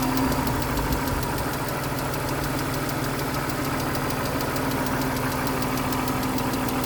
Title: 2000 BMW Z3 2.5 engine clicking sound July 4, 2026